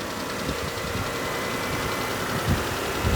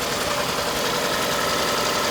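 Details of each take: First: Auction car started on a weak NOCO jump pack after fixing a loose negative clamp, warming up at idle: steady low even idle with no knocks or misses; motor sounds good; normal idle. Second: Detailed Toyota at auction, running on its own power with check engine light on: uneven stumbling idle under hiss; misfire at idle, code reads cylinder number one misfire.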